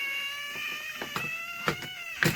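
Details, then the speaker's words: Homemade signal tracer, just fitted with a PP3 battery, before probing a Hacker Hunter RP38A radio: wavering, squirming squeal of stacked tones with sharp bursts, like a dying animal, from a floating probe. Clipping it to earth quietens it. "like a dying animal. Let's pop it onto an earth. I'll pop it on there. That quietens it down again, sticking the earth on."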